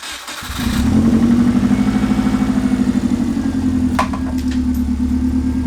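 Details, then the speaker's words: Subaru Legacy flat-four after single turbo conversion (TD04, 7psi wastegate), full open downpipe, first start: short crank, catches and settles to a loud, raspy but even idle; running cleanly, sounds like a Forester. "yeah and that sounds pretty good yo that sounds really good sounds like a Forester it exactly like a Forester"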